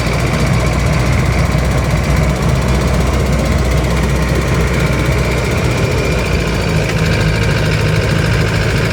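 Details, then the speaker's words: Van after rusted fuel tank replacement, highway test drive about 10 km: steady engine drone under road load with a dull, persistent diesel-like knocking, plus tappet noise; worn, loose pistons slapping. "Ha tu bunyi knocking enjin eh dah macam bunyi enjin diesel. Yang kat situ ada dua bunyi."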